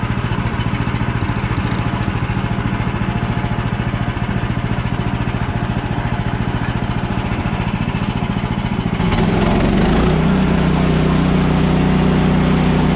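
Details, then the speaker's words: Woodland Mills HM130 portable sawmill, single-cylinder engine: it chugs steadily, then the note rises and holds as the blade takes load cutting a log, pulling cleanly; engine loading under cut. "you guys hear the engine revving up take your time work with your machine the blade starts cutting and keep going"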